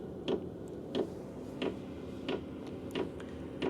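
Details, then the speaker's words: Heater powered from the Anker Solix F3800 Plus DC output (about 146 W, 11 V) during startup after the glow plug kicks in: soft, even ticks about every two-thirds of a second over a quiet fan hum, the fuel dosing pump metering normally. "The fuel just kicked on. You can hear it tapping."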